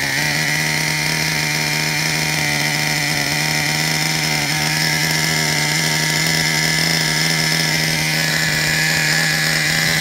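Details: Traxxas Revo 3.3 nitro RC truck engine, retuned: steady high buzzing whine at constant speed, even and unbroken; healthy. Engine good; transmission, stripped spur gear, starter motor and one-way bearing need replacing.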